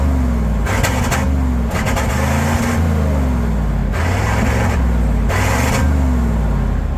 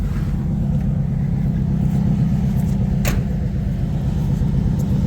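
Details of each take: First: Resurrected V8 tow truck, under 3 minutes after a fix: low rumble wanders and lumps with periodic rough surges instead of settling; running rich, over-fueling, owner avoided buying new injectors. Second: Owner's V8 tow truck after repairs and a battery recharge: low, steady even rumble with no misses, knocks or ticks; idling smoothly, tailpipe looks clean.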